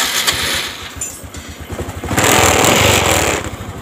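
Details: Honda Supra X 125 motorcycle whose electric starter and neutral light failed, traced to a fuse: starter whirs briefly, then the single catches and settles into an even, quick putter about four beats a second; normal start and idle.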